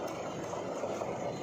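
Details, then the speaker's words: Nissan Navara, engine running with steering wheel at full lock: loud, steady rough squeal from the power steering belt, found loose, fixed by re-adjusting belt tension; noise reportedly also occurs when reversing and moving forward. "sobrang lakas ng tunog pag naka-full turn so sa power steering tayo mag-focus mukhang sa belt ng power steering ang problema"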